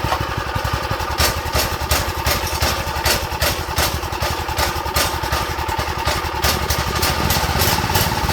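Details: Go-kart small single on fresh fuel after draining the old: barks along at a low, loping uneven idle; owner suspects idle needs raising and a carb problem, dirty jets, emulsion tube and main jet.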